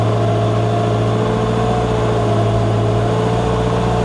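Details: Wheel loader after repair, hydraulic pumps had stopped turning; new pump drive chain fitted: steady low diesel drone with faint even whine, no rattle or slapping from pump drive; much quieter, normal running.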